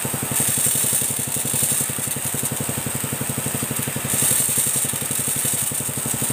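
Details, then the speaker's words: Motorcycle-wash pressure washer after replacing parts to fix weak water spray, at idle without the throttle opened. The small engine pulses steadily and evenly under a strong, constant hiss of spray; it runs smooth and sprays strongly. "Oke Guys ini sudah selesai saya hidupkan mesinnya Ya seperti ini guys ya Coba di sini oke nah semburannya seperti ini guys ya"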